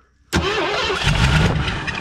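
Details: 1984 Ford Thunderbird 5.0 V8 after sitting for years, first start attempt: fires abruptly and sputters up in speed briefly, running rough only on fuel poured into the intake; injectors not getting fuel.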